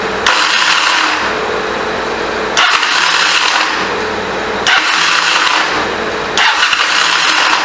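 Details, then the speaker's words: 1985 Honda CMX450 Rebel, stored 15 years, with a stuck throttle: short harsh cranking bursts that stop before a full revolution; starter clutch suspected bad or wrongly installed, or a bad starter; won't turn over. "That does not sound good. It sounds like to me the starter clutch is bad. Either that or the starter is bad. We won't even let it turn all the way over. Something ain't right."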